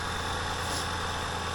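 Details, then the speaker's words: 2014 Honda Pilot after replacement of the seized 200,000-mile engine, new oil filter fitted: steady, even engine hum with a low drone and no knocks or misses, no warning lights on the dash; a healthy idle. "sounds great no error codes no nothing on the dash it's good news"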